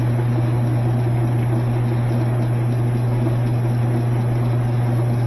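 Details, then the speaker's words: Washing machine with new water valve, loaded with spun-out clothes on spin: loud steady low drone with heavy shaking building as drum speeds up, machine walking backwards out of place; worn suspension snubber pads. "as it spins up, you get more and more vibration. Wally thought that was his mama. You see how this machine is walking backwards? Getting out of place. It shouldn't be doing that."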